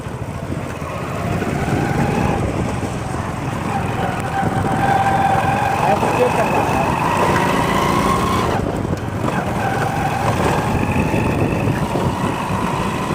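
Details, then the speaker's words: Hero Splendor Plus single-cylinder bike, before repair: a steady mid-pitched whine rides over the running engine and edges upward with revs, from a worn primary drive gear, which was then replaced. "दोस्त यह आवाज़ है तब की जब इसका primary gear खराब था तो मैंने आपको सुनाई थी"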